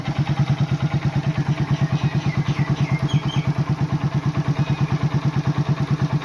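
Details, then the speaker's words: Old Hero Honda Super Splendor after oil change with 20W-40: even quick low thumping of small single at idle, about three beats a second, no tappet tick or rattle; healthy normal idle. "একদম smooth, silent, টেপি থোৱা আৱাজ নাই।"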